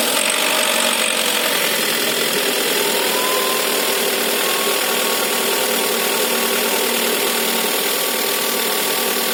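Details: VW Golf 6 1.4 TSI at idle with a fast, uneven metallic rattle over the running note; timing chain rattle with error.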